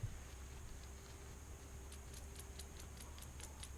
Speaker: can hear it kind of chatter up a little bit you can tell that grease is out of there